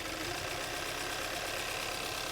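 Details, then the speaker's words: 2016 Kia Optima with a strong misfire, valves replaced a year earlier: idling with one ignition coil unplugged, an uneven, lumpy beat and busy clatter as the engine runs worse on only two cylinders. "if the cylinder is contributing when we disconnect the coil a little run even worse see that because now it's only running on two cylinders"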